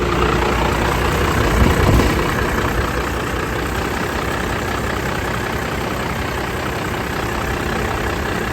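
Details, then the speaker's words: 2nd-gen Cummins diesel truck at cold idle just after the belt tensioner was replaced and the belt refitted. Loud, steady diesel clatter with no squeal or slap from the belt; the engine sounds healthy. "you can hear the engine idle up now it's cold obviously but I think we're good to go"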